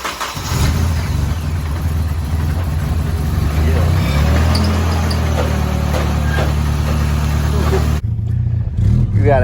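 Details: Nissan 240SX S13 just after Injen intake install, startup: firm even low rumble holding steady, no misfire, knock or hiss; engine running smoothly and feels healthier.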